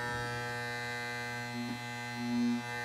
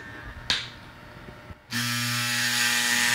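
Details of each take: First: Andis Masters hair clipper after a fall, running after turning the tension screw clockwise until the loud rattle goes away: steady smooth powerful hum with even buzz, no rattle; blade tension set right, normal running. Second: Andis Masters hair clipper running with tension screw loosened and the blade fork lifted with a screwdriver: loud buzzy chattering rattle; blade tension too loose, fixed by turning the tension screw clockwise until a smooth hum remains.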